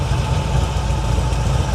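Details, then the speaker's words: 1977 Chevy Monte Carlo off the road about 30 years: low, uneven, loping idle with hesitation, smelling rich and about to die. Owner suspects the carb idle circuit mixture screws. "it it's just running bad. It's not It's not idling smooth like it should."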